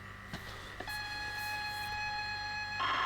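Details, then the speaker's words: Sinclair Spectrum +2, long unused, after cleaning contacts: clean steady tape loading tone switching sharply to higher buzzy data tone without dropouts; now loading reliably though picture still poor. Normal tape loading tones. "okay cool that's better that's what we want to see still looks Dreadful but it seems to be reliably loading stuff now"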